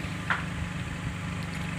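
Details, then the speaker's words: Nissan X-Trail at idle after replacing worn iridium spark plugs, heard at the tailpipe: even, steady low rumble with no misses or coughs; misfire and vibration gone, running smoothly on all cylinders. "nampaknya udah ama nih Bos sudah Man udah tata suara dari knalpot nya bos"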